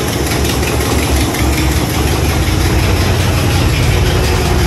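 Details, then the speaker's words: 1986 Chevy Caprice box body at idle: loud raspy rumble with an uneven tapping chuff. The owner suspects a leaking exhaust donut gasket; intake manifold gaskets were also never fixed. "that may be why we hear a lot of that noise too all right back out here just got this thing started i think it's a donut gasket down there"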